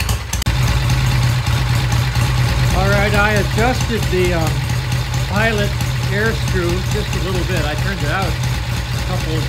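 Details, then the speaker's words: 1966 Triumph, all-original, idling after cleaning a clogged pilot jet; slight stumble noted coming off idle: steady low even engine beat without stumbling; idle sounds smooth and settled. "a little stumble coming off of idle that actually sounds really [Music] nice"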